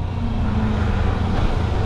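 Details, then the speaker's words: Kawasaki Versys-X 250 after replacing a shattered rear wheel bearing that had caused play, vibration and noise, rolling with the clutch pulled: even road and engine hum with no growl, knock or grinding from the rear wheel, smooth. "Aduh enaknya gitulah Ternyata enak banget"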